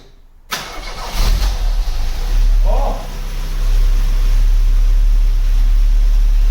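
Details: 1991 Cavalier GL, rebuilt 18SEH engine (original 1.8 block with 2.0 8-valve head and cam) replacing rattling 2.0, first start after fitting: cranks, catches quickly, settles to smooth steady idle with no knocking or rattling; healthy.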